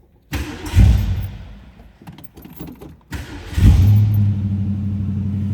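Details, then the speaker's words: 1965 Ford Mustang convertible, early build, 289 V8, automatic: cranks and fires, fades, then catches on a second crank into a smooth, deep, throaty high idle with a nice rumble; healthy. "Great sounding 289, nice little rumble to it, deep throaty sound. You're off the high idle there."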